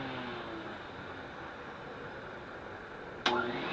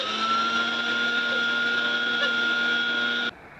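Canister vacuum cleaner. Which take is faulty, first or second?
second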